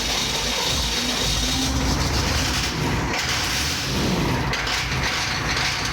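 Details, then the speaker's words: 1993 Chevy 2500 turbo 6.5 diesel just after fitting a rebuilt DB2 injection pump, which replaced a faulty pump that smoked constantly. Only a small puff of smoke at start-up. Steady, even idle clatter with no stumble or miss. Normal, smoother, healthier idle. "Little puff of smoke when it first fired off, but nothing like that other guild pump that was just constantly puking smoke. Idle's a lot smoother, a lot healthier."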